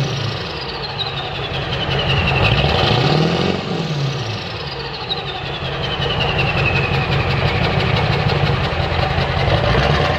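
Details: Dually diesel just after straight piping, muffler removed: deep, loud rumble with steady clatter near four beats a second and slight speed rise and fall. Idle sounds normal; owner suspects a slight misfire only when revved, possibly causing smoke.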